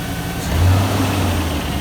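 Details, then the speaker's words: 4WD 5.3L Silverado whose 4L60E transmission failed after about 2,400 miles towing a car: in reverse the engine revs freely with no engagement or load. Reverse is slipping and gone, forward still works with a little whine, and it used to grind more. "Is that reverse? Is it supposed to be going somewhere? Yeah, it's just slipping."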